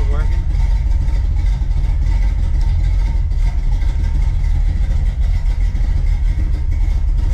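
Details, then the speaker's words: 1976 Chevrolet Nova after fitting a 150 amp alternator, flywheel bolted back on: steady even deep rumble, no stumbling or labouring; runs normally, previously laboured and sometimes failed to charge. "But yeah, that sounds so much better. It was really laboring before, and sometimes it just wasn't charging at all."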